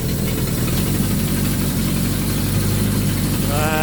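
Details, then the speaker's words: Suzuki GS1000 started cold with some choke for a carb sync: a rough, puffy low four-cylinder idle with a lot of smoke from the bike, and it sounds like an exhaust leak as well. "A lot of smoke coming out of this bike. Whoa. Sounds like you got a bit of an exhaust leak as well."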